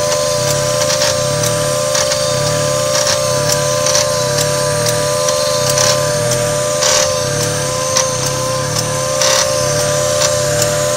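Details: 1995 Mazda MX-3 idling: a click about once a second, each one making the idle sag sharply and recover to about 1,000 rpm, with a slight rattle. Owner suspects the AC; cause not confirmed.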